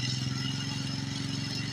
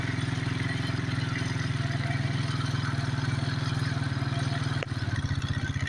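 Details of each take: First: 1992 Suzuki King Quad 300 single-cylinder ATV after a cold start holds a steady, fast, even idle on choke: normal high idle with choke on, before warming up. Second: 1992 Suzuki King Quad 300 single-cylinder idling on choke; the low steady thump starts throbbing unevenly, running rich, showing it is time to take the choke off after warm-up.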